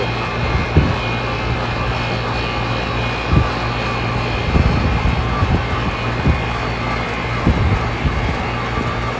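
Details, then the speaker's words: AC outdoor condenser unit after replacing the capacitor: the fan starts and the compressor runs, giving a steady low compressor hum under a smooth fan whoosh with a few taps. It is running normally. "fan has started. I don't know if you can see that on the camera or not. And I can hear the compressor running. So that was it."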